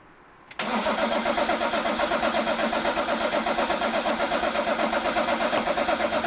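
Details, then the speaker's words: BMW E34 525 TDS diesel after new engine fitted and Bosch VE injection pump timing set, start after reconnecting battery: brief crank, catches at once and settles to an even steady idle clatter with no misses; runs healthy. "Je rebranche cette putain de batterie. Et on démarre. Et on serre les fesses."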